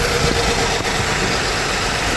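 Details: 2008 Mazda CX-9 idling with code P0201, cylinder 1 injector open circuit; a slightly rough, uneven idle under a steady hum; the blue injector power wire reads a constant 14 volts and holds under load; misfire at idle from a dead injector.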